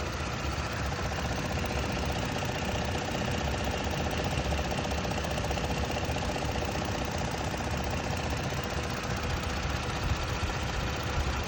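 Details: 2022 Toyota Tacoma pickup at 1400 miles, petrol engine idling with a light, rapid ticking running through the engine sound.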